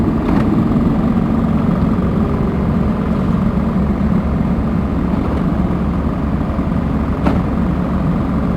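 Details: Komatsu diesel with low power, high vibration and white smoke, running hard: loud roar with rough clattering undertone and sharp knocks; engine knock, cause not confirmed.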